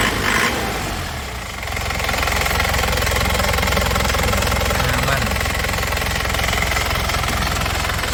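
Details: 2002 Isuzu Panther Touring manual turbo diesel with turbo timer, no oil seepage, idling after start: crisp, even clatter at a steady idle with no uneven knocks or misses; normal diesel idle.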